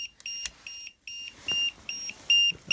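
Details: 1000 amp compact jump starter, down to 13% charge, connected to a Yamaha V-Star with the ignition on; short evenly spaced high beeps, about seven in three seconds, likely a protection cut-out; unit appears exhausted.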